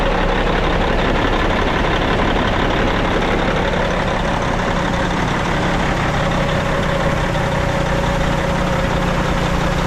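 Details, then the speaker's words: Abandoned Kenworth C500 off-highway mine truck diesel idling after revival; steady even low rumble with no knocks, misses or surges, sounds pretty healthy. "all right Robert shut her down not bad sounds pretty healthy yeah love it"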